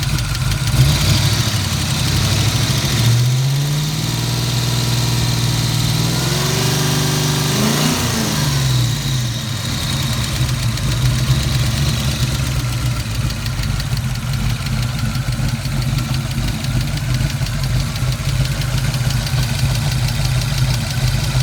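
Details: 1986 Ford Mustang GT Fox-body V8 at idle after an oil pressure valve leak lost 3.5 L of oil: a quick, light ticking that keeps pace with engine speed. The owner is unsure whether it is rod knock or lifters, and performance is unaffected.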